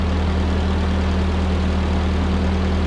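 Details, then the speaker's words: 1946 Ford 2N tractor, flathead four, after head gasket replacement and fresh oil: steady, even low idle hum, no knocks, misses or ticking; purring for a while. Normal idle. "it's been purring like a kitten for a little while"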